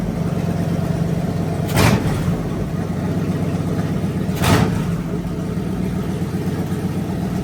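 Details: Fully rebuilt Magnum 318 V8 (360 cam, roller lifters, new timing set, valve job), timing adjusted and vacuum leak fixed, running heat cycles; smooth lumpy idle with two clean throttle blips, healthy.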